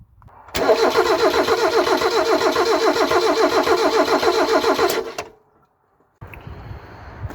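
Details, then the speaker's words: Mazda MX5/Eunos Roadster off the road 13 years: starter turns engine evenly, about three and a half beats a second, for several seconds with no firing; no spark, owner guesses immobilizer, later found already removed. "okay so we have no spark my guess is the car is immobilized"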